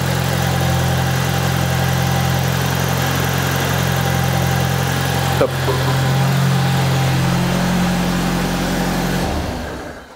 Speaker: plus de bruit bizarre plus aucun bruit bizarre c'est bon elle tourne mais feu de Dieu là